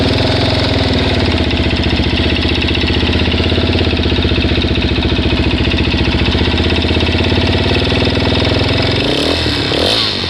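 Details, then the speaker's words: Suzuki DRZ400S single-cylinder idling after a 10-mile test drive, cam chain and both guides already replaced and oil changed: a light even tick on each firing pulse persists; source unknown. "okay so I just took it for a test drive probably 10 miles it runs fine but it's still making this sound"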